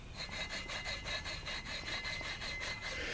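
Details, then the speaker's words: Dodge 318 water pump shaft turned by hand during timing cover gasket job gives a dry, gritty rasping grind; bearings drying out, failing pump to be replaced. "that's not good that means the bearings are getting dried out"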